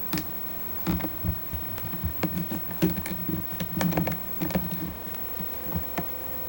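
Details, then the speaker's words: Sony CCD-V110 Video8 professional shoulder camcorder: the power zoom makes irregular dry clicks and doesn't work at all, so the manual zoom has to be used; the focus also makes noise. "power zoom is making very unhappy boys"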